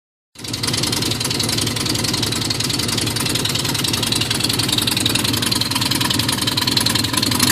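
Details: Nissan Z31, very cold morning: loud, raspy puffing idle with choppy cam-like lope; timing belt off one tooth, exhaust leaks from broken head stud, cracked exhaust manifold and broken manifold-to-crossover stud.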